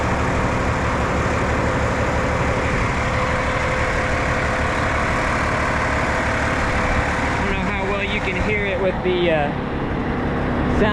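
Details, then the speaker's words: 1973 M35A2 military wrecker with turbocharged LDT 465 multifuel diesel, start and idle: steady deep diesel idle with constant high turbo whistle on top, loud from the rear; healthy, normal turbo whine. "It's called The The Whistler cuz this is one of the turbo trucks so I am going to start it up real quick and let y'all hear what she sounds like"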